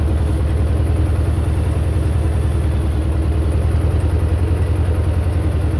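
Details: Belarus 250 tractor, two-cylinder air-cooled diesel revived after sitting for years with a fuel delivery fix; steady, even low chug at about three and a half beats a second, no misses or knocks; running healthy.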